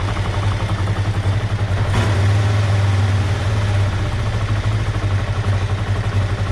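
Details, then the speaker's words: 2005 Kawasaki Ninja 500R revived after sitting 10 years, first startup after carb work, no choke. Brisk idle, one throttle blip, then the revs hang instead of dropping. Idle still high and bouncing; owner suspects an air leak and hanging throttle. "Still got kind of a high idle, so we'll keep dropping that out. So though it's idling really good, the idle keeps bouncing, which tells me we have an air leak because we have a hanging throttle."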